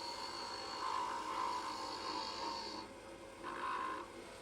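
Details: Wood lathe at about 1800 rpm turning a light pull blank: an even, steady hiss of the tool cutting with no rattle or chatter, showing the blank is now round.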